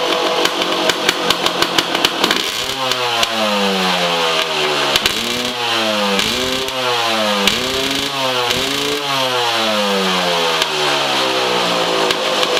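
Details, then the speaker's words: 2003 Yamaha YZ250 two-stroke, warm (ran 10 minutes earlier), slightly loaded up and being cleared, before silencer repacking; sharp crackly blips then repeated revs rising and falling with loud raspy bark and pops; worn-out silencer packing. "The packing in this is pretty bad. It's loud and it pops."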